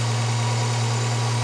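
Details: Volvo 240 at an MOT-test day, after the mixture/idle was adjusted: steady low, even idle hum with no hunting, misses or knocks; engine settled at a proper idle speed.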